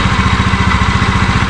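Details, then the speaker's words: Honda Beat FI v2 scooter with a noisy CVT side, loud throbbing clatter pulsing about eight times a second from the belt drive side before disassembly; it was not noisy before, and crank bearing or drive bearing is suspected; CVT noise. "Ayan oh maingay yung panggilid natin Tingan natin"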